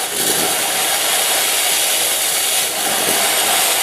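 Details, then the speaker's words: Gemilai 3006Z espresso machine steam wand: loud, steady, dry hiss holding even throughout, very powerful clean steam flow; normal steam wand operation. "very powerful steam I would say."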